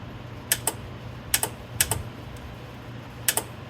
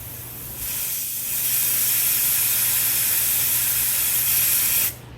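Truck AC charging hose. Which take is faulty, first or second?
second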